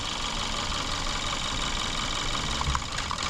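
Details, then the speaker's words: 2014 Kia Forte 2.0 GDI with check engine light and P0301 code, shaking at idle: uneven stumble with a repeating skip, cylinder 1 misfire traced to a weak ignition coil. "change and big change those looking like cylinder one is the problem"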